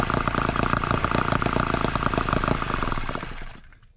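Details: Microcosm H74 twin-cylinder engine after piston ring replacement for low compression, heat-cycled several times, started with a drill: quick, even beat holding steady about three seconds, then winds down smoothly to a stop; runs healthily.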